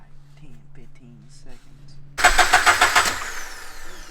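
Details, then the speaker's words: Early Subaru BRZ on E85 with unknown tune, after transmission reinstalled for throwout bearing replacement: starter cranks in quick even pulses, about three a second, but engine never catches; owner reports intermittent starting trouble; crank no start. "so we got the trans back in everything put back together but you can't get to start it is on E85 I'm not sure who it's tuned by we are having some problems which the owner told us he's been having issues getting to start sometimes"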